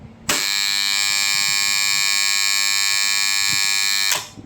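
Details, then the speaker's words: Three-phase motor-protection magnetic contactor with 230 V phase and neutral fed to coil terminals A1/A2: loud steady buzz comes in sharply, holds about four seconds and drops away cleanly; coil pulls in, so the contactor is good. "பாத்தீங்களா ஒரு கிர்ன்னு ஒரு sound வருது. அதாவது A1 A2ல நம்ம supply கொடுத்தா base ஒயரும் neutral ஒயரும் A1 A2ல கொடுத்ததுனால இந்த coil 230 வோல்டேஜ்ல நமக்குஃபங்கஷன் ஆகுது."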